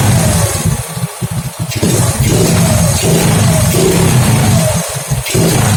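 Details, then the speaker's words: Honda Grand running a new genuine CDI: revs dip unevenly with brief cut-outs under throttle. The stuttering misfire was traced to spark leaking at the spark plug cap, not the CDI. "Oke, ada berbetnya."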